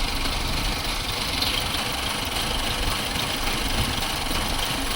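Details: 2006 Chevy Cobalt at warm idle, recorded from outside, with codes P0068, P0106 and P0300. It idles with an uneven shaky rumble and stumbles but runs smooth above idle. MAP, O2 sensor and timing chain tensioner were replaced; owner wonders if a cam is a tooth off.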